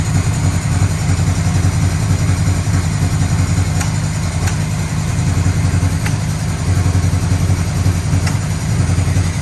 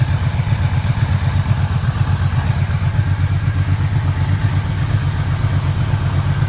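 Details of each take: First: 1985 Yamaha Vmax V4 first start after rebuilt carburettors, new leads, coils, plugs, fuel filter, boots, V-boost manifolds; cold on choke: uneven chuffing idle with faint pops, blowback through one carburettor. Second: 1985 Yamaha Vmax V4 after carburettor rebuild, coils, leads, plugs, boots, first start, no air filter: deep even burble at low steady idle around 850 rpm, no popping or misses; healthy idle.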